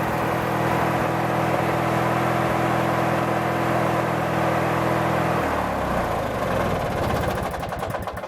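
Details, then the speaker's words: Craftsman 19.5 mower: steady starter cranking about five seconds without firing, then winds down; starts only when key released from crank, so ignition switch suspected faulty. "the only thing I found to be really odd is that it will start when you let off of the crank otherwise you'd sit there and crank it and crank it and crank it and it won't start second you let off it'll start so it may be something in the ignition switch itself"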